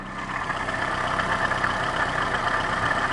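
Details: Lada VAZ 2110-2112/Priora, hot engine, sound under the hood near pump, new rollers ruled out: steady hum with high even whine over smooth idle; water pump bearing hum.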